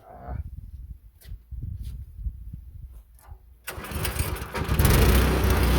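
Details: Meec SN210 plastic snowblower engine, which kept sputtering and dying unloaded, fires after fumbling and light knocks and picks up to a steady strong run without stumbling; a tank mounting screw had leaked fuel; normal running.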